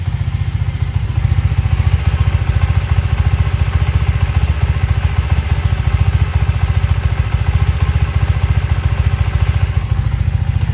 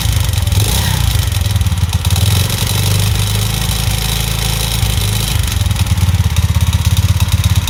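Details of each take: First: Alpha Delta Vento 110cc moped idling after a knocking suspected-fake piston was replaced with a supposedly original one (valve clearances not yet checked): steady, even low putter with a regular beat and no knock or tapping; it sounds healthy. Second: Alpha/Delta/Vento moped bored to 110 cc with a cheap Chinese piston and rings, at idle: loud fast metallic rattle over the putter, seemingly worse than when first assembled; piston knock, to be replaced with an original piston.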